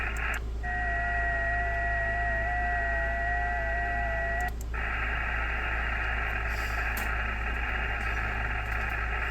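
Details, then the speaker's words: DIY solar setup heard on a radio: steady hiss with a thin whistle, then constant wide hiss; interference from the MPPT charge controller, fixed in tone under heavy load (it pulsates while tracking). "So usually the really small ones, that's birdies on the radio, but like this right here, that's from charge controller."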